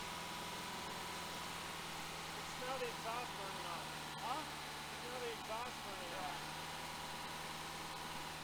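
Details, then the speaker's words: 1966 Volkswagen Type 3 Fastback, freshly rebuilt larger air-cooled engine just installed, during cam break-in at raised idle: even steady hum with no knocks, ticks or misfires; runs smoothly, carbs still need some tuning. "definitely sounds better sounds good does sound good sounds good definitely got a little bit of tuning left on the carbs"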